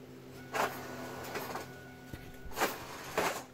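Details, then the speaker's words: Pontiac Firebird Trans Am pop-up headlight motor after replacing the gear with a bronze/brass gear: light steady whirr with soft clunks at each end and no grinding; the earlier grinding noise is gone. "And finally, that horrible noise is gone."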